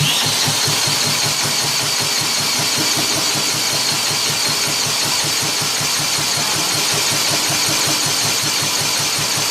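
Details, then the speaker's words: 1959 Mitsubishi Silver Pigeon engine spun over after 2-stroke gas poured in, fuel running back out: fast ragged chuffing, pops on primed fuel but won't run on its own; cause of no-run not confirmed. "See if I have some gas. Yep, here we go. I got some 2-stroke gas. Just throw it down there. Yeah, runs right right back out."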